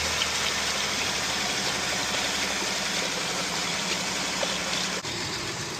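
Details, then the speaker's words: A 2018 Jeep Grand Cherokee 3.6L V6, after replacing the cylinder 5 fuel injector, spark plug and coil for a misfire and injector stuck open/closed codes, now idles steadily and evenly with no stumble or knock. "She turned on pretty good, too. We did uh fuel injector, spark plug, and a coil. So, she had a little she had a little misfire, but sounds good now."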